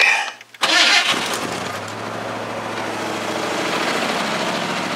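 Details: Red Ford F-150 after replacing the power brake booster check valve that caused a vacuum leak: cranks briefly, catches cleanly, settles into an even steady idle with no hiss or stumble; normal start and idle.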